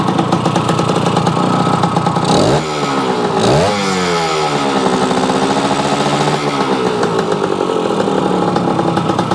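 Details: Yamaha AT-1 converted to CT-1, first start-up after rewiring, oil pump priming and carburetor fix, choke on, pre-mix fuel plus oil pump; crisp ring-ding with throttle blips, revs rising and dropping back smoothly, normal.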